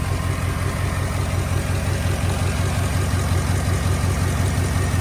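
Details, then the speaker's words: 2008 Chevy Avalanche 5.3 V8, first start after timing chain rebuild with new lifters, engine primed: even deep idle, about three beats a second, no clear knock; slight noise from lifters still pumping up, considered normal. "The motor does sound like it's got a little bit. That's normal though, because lifters have got to pump up, and probably some of them are held open a little bit because, like I say, I primed the engine with my engine primer."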